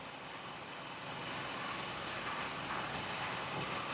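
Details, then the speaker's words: 2010 Kia Forte after fix for P0106 and codes cleared: quiet, even idle around 625 rpm, slightly low, with soft steady hum and no misses or knocks; check engine light off, repair appears successful. "now the check engine light is off now excuse me it's idling a little low it seems 625"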